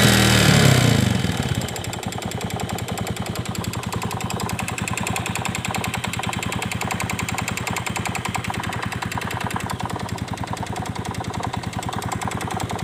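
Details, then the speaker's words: Yamaha Vega Force fuel-injected motorcycle with a new valve chain and piston: a crisp, steady tick of about 3.5 per second over a settled idle, sounding like valve-chain noise; top-end source still unknown. "kita kedatangan motor Vega Force yang injeksi kalau hanya teman-teman nah selalu bunyi kayak rantai klep"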